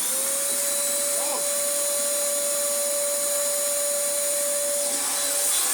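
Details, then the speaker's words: Small Dyson vacuum with a dirty filter, plugged in for testing: steady even motor hum with a clean, unwavering whine, no strain or rattle; works very well, normal running. "Oh yeah, that works very well indeed. Very fun little vacuum this was."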